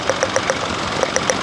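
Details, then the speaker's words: Perodua Axia with no-power complaint, ignition coil check at idle, air box top removed: crisp sharp snapping ticks about seven a second; strong spark, plug coil working fine. "Makna kata lah, bila bunyi tu dia spark kuat tau. Tak. Itu tandanya plug coil korang yang pertama dia bekerja."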